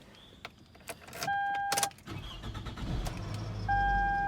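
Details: 2005 Toyota Camry after camshaft sensor replacement: a few chime tones, then the engine cranks, catches within about a second and settles into a steady, even idle; the check engine light goes out, so it starts normally.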